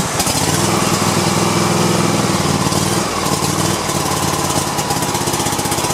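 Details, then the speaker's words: Cub Cadet i1050 zero-turn twin engine, left outside for years, first start after a carburetor cleaning, on choke with an auxiliary fuel tank. Strong, steady beat with no misses and lots of white smoke: running normally on choke. "all right it's cranking at least we got it going so [Music] it looks like there was a lot of white smoke coming out of there"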